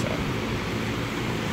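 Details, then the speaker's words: Armstrong condenser unit fitted with a universal fan motor, wired back to three wires with capacitor reinstalled: even steady air whoosh with low hum, no ticking or rubbing, quieter than a Goodman; normal condenser fan operation. "however it is a lot quieter than a Goodman this Armstrong unit"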